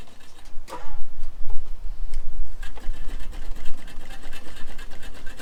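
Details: 1966 Ford Galaxie 390 big-block V8 on its first run after sitting 35 years, with no gearbox fitted; uneven, lumpy beat with stumbles and surges; the engine is running rough.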